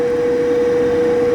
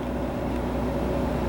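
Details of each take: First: Power vent gas water heater, on a middle floor where a quiet fanless direct vent was possible; about 74 dBA A-weighted beside it, like speaking voice, heard easily downstairs. Loud steady mid-pitched whir, no surging; fan very noisy. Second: Tankless water heater recorded outside right next to its vent at about 57 dB: soft steady whoosh with low even hum, no rattles or surging; quieter than a passing car.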